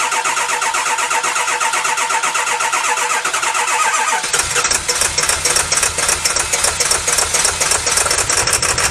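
Rapid steady cranking for about four seconds, then it catches and settles into an even diesel clatter; starts and idles normally.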